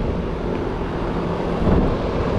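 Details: Split-system heat pump with 410A refrigerant, just started after defrosting a frozen evaporator coil and fitting clean filters, new contactors and new capacitors: steady low hum and airflow rush with no clatter or buzzing, compressor running normally.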